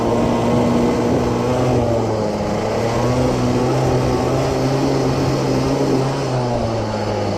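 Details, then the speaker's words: CPI two-stroke moped scooter on test ride after second new piston fitted, break-in run: irregular burbling sputter that never cleans up under throttle, running rich from an oversized main jet that may foul the plug; plug already cleaned once. "but the main jet is too big as it sputters a lot and may foul the plug"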